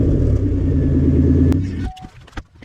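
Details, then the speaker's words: 2000 Chevy Impala, 3.4L V6, low mileage: loud, deep rumbling idle with coarse blatting pulse, far louder than stock, then shut off; hole in top of second resonator blowing hot air under the cabin, to be replaced. "n the top portion and is now just blowing hot air directly against the bottom side of the cabin and it's heating up the interior quite quick quickly along with that it's of course very loud and obnoxious"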